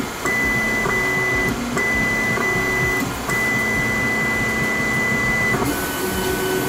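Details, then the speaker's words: Voron 2 3D printer homing on the nozzle, picking up its Euclid probe and running quad gantry leveling. The steppers whine in steady high tones on each move and pause cleanly between them. Healthy homing and gantry motion. "so if i just do a i think i can just do this it's going to home on the nozzle grab the probe and do a qgl and hopefully this doesn't take too long"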